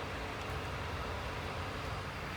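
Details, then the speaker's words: Hyundai/Kia cabin, after replacing a worn, melted small plastic part inside the steering column that caused knocking when turning: steady low vehicle rumble, no knocks or clicks, steering now quiet. "التركيب ما عاد في صوت، صارت السيارة تمام."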